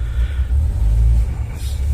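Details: Land Rover 4.0 V8 restarted after the fix; before the fix it stalled warm; deep, even rumble settles straight into a steady idle; normal idle.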